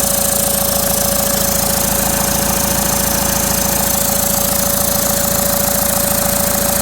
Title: Common rail TDI turbo failure